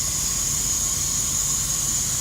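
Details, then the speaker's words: Semi truck idling with a constant sharp high hiss over low engine rumble, no rhythm, recorded underneath the truck among the air lines; air leaking from a bad air dryer purge valve. "you can see that air leak right there big time here let's all of this stuff here right all connects to there you got a whole bunch of different hoses and stuff like that"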